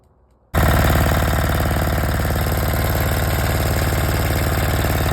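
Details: 186 diesel after overhaul (new crankshaft, piston, con rod, bearings, seals, fuel system) following overheating and oil starvation damage; fires at once, steady even thump about four beats a second, no knock; normal running.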